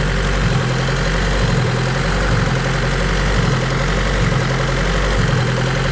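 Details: High-compression Honda D16Z6 build after valve lash, timing set to 16 degrees: idle rises and falls about once a second and never settles.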